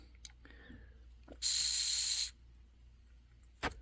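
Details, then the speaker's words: Honeywell water heater gas control valve (pilot lights blue then turns off), air blown through valve body with button held: brief hiss under a second then cuts out; valve body won't hold pilot flow despite good ohms test and clicking, so it is faulty. "see it went initially it wished and then it cut out so it's it'll start for a second and then it cuts out so this valve body is no good even though the ohms are good"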